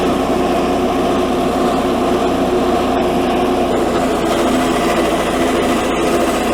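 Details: 1984 Workhorse GT100 with stock 212 Predator single-cylinder swap, mowing via factory PTO deck; loud steady high-pitched buzz holding even speed while the deck cuts, no bogging or misses; normal running under load.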